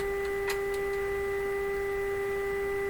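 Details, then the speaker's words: Canadian Westinghouse Model 684 radio: steady pure tone with a faint buzzy edge and light ticks early on; a piece of wire rubbing slightly on the speaker cone, the contact changing as the radio is moved. "That sound variation you're hearing, I have been curious about a few times. In this case, it's this piece of wire rubbing up on the speaker cone slightly."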